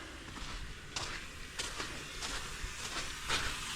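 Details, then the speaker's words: Paving-crew truck, loading up: steady airy hiss under scattered clanks and outdoor noise; air leak traced to a blown air suspension airbag needing replacement. "Airbag. I got a basically a blown airbag."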